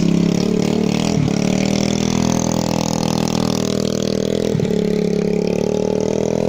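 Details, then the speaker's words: 2013 TaoTao 50 two-stroke with custom exhaust, bigger carburetor, pod filter, new fuel lines, filter, coil and NGK plug: steady busy buzz with occasional pops while riding; CVT and clutch work, running rich and healthy. "as you can see in here it runs perfectly that means that the CVT transmission works the clutch engages everything on it works the engine makes enough power it's actually more powerful than most other Taotao 50s it runs rich and healthy you can hear the occasional pops that means that it's running very healthy"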